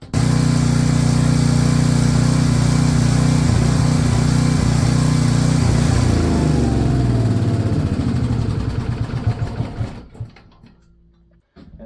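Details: Salvaged Hite 4400 W generator, 8 hp Briggs & Stratton, on retry after governor nearly stuck: steady even drone holding speed, then winding down smoothly; runs properly.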